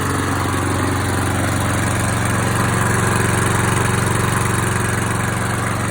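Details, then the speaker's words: ATCO Liner 19SE V mower, Briggs & Stratton 675IS Instart engine after Makita 18V battery start conversion, running on 2-stroke mix instead of regular unleaded: smooth even single-cylinder putter at steady speed, no stumbling or surging. Normal running. "Excellent. So pleased with that. A little slow to start because I didn't have any regular unleaded."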